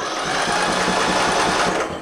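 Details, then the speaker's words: Craftsman LT1000 riding tractor, early 2000s, cranked via jump pack at starter after backfiring and no-start: starter whirs fast and even with no compression strokes; no compression, overheating, mouse nest and blown head gasket suspected. "you guys hear that but that's got no compression whatsoever so uh we definitely uh have an issue more than likely it has a mouse nest in it like I was saying and I bet you it overheated and probably blew the head gas it"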